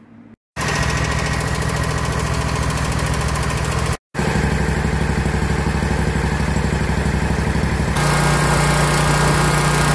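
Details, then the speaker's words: 2021 Scag Patriot mower with Kawasaki FX691V V-twin, 80.6 hours, after valve lash adjustment (loose cylinder 1 intake set to 0.10–0.15 mm cold) and a new valve cover gasket: steady, even idle with no valve tick; normal idle. "listen to this baby purr now it's good foreign"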